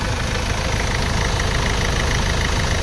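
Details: 2016 Ford Ranger diesel after replacing the EGR cooler and injector washers, which had caused white exhaust smoke, coolant loss and dipstick smoke. Steady, even idle clatter with no hunting; no smoke from the dipstick.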